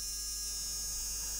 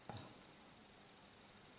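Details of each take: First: Arduino Mega battery tester charge/discharge circuit on the bench: as the voltage is wound up, a relay buzzes and chatters with a steady high buzz over a low hum even though its drive wire is not connected, so a fault needs investigating. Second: Arduino-driven relay on battery charger/discharger tester strip board, manually energised from 5 V; five sharp crisp clicks at irregular intervals in a quiet room, pulling in cleanly each time. Normal relay click.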